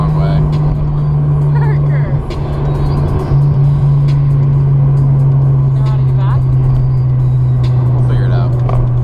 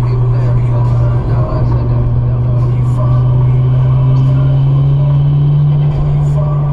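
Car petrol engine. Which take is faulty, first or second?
second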